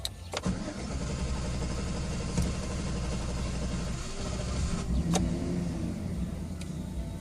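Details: 2013 GMC Sierra 5.3 V8 rental, not cold at 15°C, check-engine light came on and went out the day before: long stretch of even starter cranking with no clean catch into idle; very hard start, extended cranking.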